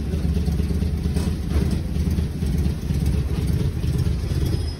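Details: Fiat Linea, started cold, idling as it eases to a stop at the workshop; low, even rumble with slight level swells, no ticks or knocks; engine sounds healthy, normal idle.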